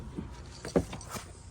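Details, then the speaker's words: 2004 Mercedes S55 AMG W220, key out: about four sharp, irregular relay clicks as wet modules are touched; water from a clogged drain tube in the engine fuse/relay box shorts power to ground, also lighting cluster warnings. "See, there's a short because it's wet. And I bet you, it's as if you turn the key. It's clicking. I can hear the relay clicking."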